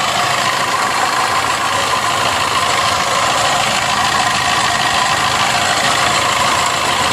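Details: Maruti Suzuki Swift Dzire at idle with a coolant leak: uneven rattling knock at roughly a hundred a minute under heavy hiss; abnormal engine noise attributed to a failing water pump.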